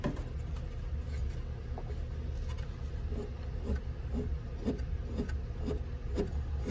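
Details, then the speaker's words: Beechcraft Baron 56TC control cable pulley, found at annual inspection, spun by hand: dry rasping ratchet with clicks about twice a second, cable indentations in the groove; worn pulley, to be replaced. "but if you listen we call this a ratcheting pulley is the way it sounds so this pulley is going to get changed"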